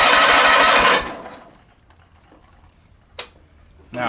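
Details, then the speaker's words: Onan P218G engine in a John Deere 318 garden tractor, fast chugging crank for about a second then silence, never fires; spark and battery good, fuel reaching carburetor but no run. "and i got fuel going through the line to the carburetor but i have a no run situation"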